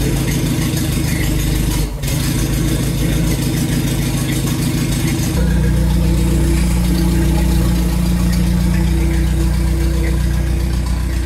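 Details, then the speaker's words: Renault R2087 (Goélette) 4x4, first start in a long time after engine rebuild, alternator and electric fuel pump fitted, weak old battery: steady, even low idle rumble, smooth step up in revs and back to a settled beat; normal idle. "Bắt đầu tốt rồi. Pin hơi yếu. Đó là một cục pin cũ."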